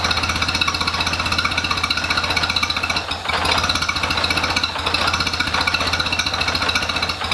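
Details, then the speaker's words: International Harvester Cub Lo-boy tractor, freshly rebuilt C60 engine: fast choppy pulsing, sagging twice then picking up, hunting unevenly; carburetor flooding itself, gas piling up, making it hard to run consistently. "so there you go this one uh this carburetor is doing that thing again where it's just flooding itself out so see it's gas piling up there so it's making it kind of hard to get it to run good and consistent"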